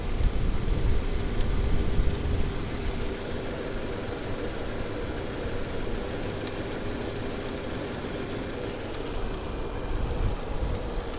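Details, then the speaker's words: Mercedes 560SEL idling with a low, uneven, lumpy pulse that keeps wavering; the owner suspects spark plugs and wires and checks them for the rough idle that shakes the car at stops. "we're checking out the spark plugs because this if you remember the ol 560 SL had a really rough idle"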